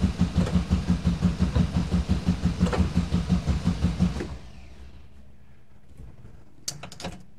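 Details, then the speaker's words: 1971 VW bus that sat two years, with a newly replaced starter: strong, regular cranking for four seconds with no firing, no fuel appearing despite power reaching the coil and the cutoff solenoid clicking; cranks but won't start. "crank it some more maybe maybe we can get this thing to bark off"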